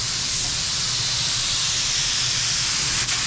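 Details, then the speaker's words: DeVilbiss FLG4 spray gun painting a '69 Charger after a fresh mix: steady, even hiss with no spitting. Normal spraying, apparently because the earlier clog dissolved. "Hey, it's not spitting. No more spitting. I think it's dissolved whatever the clog was."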